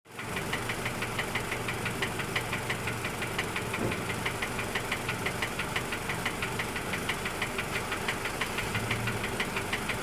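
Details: 2007 Scion tC after JDM engine replacement: a steady, sharp knock taps about three times a second over the running petrol engine, engine knock.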